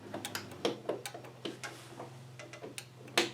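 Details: MTD Gold tractor carburetor anti-backfire solenoid tested on reassembly with the engine off: sharp, irregular clicks in a quiet room as the shutoff solenoid snaps in and out. It is working.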